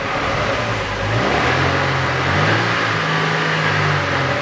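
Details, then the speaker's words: 2007 Chevrolet Lanos after replacing rear muffler (BOSAL 278875, GM gasket, new AMD hangers): smooth rev into mid range and held, even note, no rattle or blowing; exhaust sounds normal and pleasing. "вообще нормальный но все глушитель мы заменили звучит очень понравилось"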